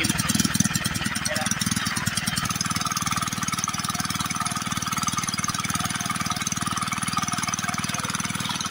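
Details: Villiers Mk12 single-cylinder water pump engine after carburettor cleaning and new air filter, fixing a speed problem: steady, fairly even thumping beat with no misses, speed holding; normal running.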